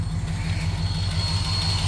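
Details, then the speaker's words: 1965 Cadillac big V8 idling after sitting four days, timing set a little high: light quick lifter tick on one side, slighter on the other, in step with engine speed; attributed to years without lead additive in fuel or zinc in oil. "it has a lifter tick on this side and a slight one on that side so uh lead additive was not being used on the fuel and no zinc on the uh oil and that's been years and years"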